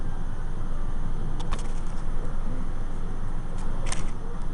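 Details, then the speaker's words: Heavy fairway golf mower reel after grinding and vac lapping, set to one paper thickness: even low whirr with only a few light ticks, much quieter than before with rough edge removed. "See how much quieter it runs now with the after it's been vac lapped."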